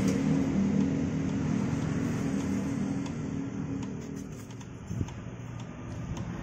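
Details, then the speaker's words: Motorcycle disc brake with newly replaced generic-brand pads: light uneven ticking as the wheel is spun, caused by the pad sitting loose in its caliper bracket mount. "tek tek t seperti ini ya Nah ini Setelah saya melakukan pengecekan ini terjadi karena di bagian kampas ini longgar ya"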